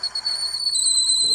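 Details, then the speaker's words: Wood lathe at about 500 rpm drilling out a Christmas ornament: steady piercing high squeal as the bit cuts, drill binding and rubbing in the hole; wax on the bit is suggested as a fix. "ah hear that sound one fix is to put a little bit of wax on it"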